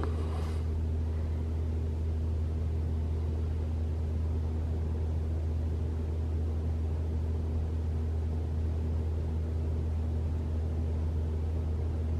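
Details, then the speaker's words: 2021 Toyota RAV4 Prime SE in EV mode, battery fully charged, 44°F outside, heater on, fan one to three bars: low steady heat pump hum with soft fan hiss, no loud startup noise owner hoped to reproduce; normal. "okay well that's three bars and no noise so I'm kind of sad"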